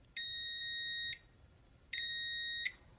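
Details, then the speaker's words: Multimeter on continuity/diode setting, used to test a curbside mini fridge's plug: two clean high beeps about a second long as the leads touch together, showing a complete circuit. "so on that setting most meters when you touch the leads together it will beep"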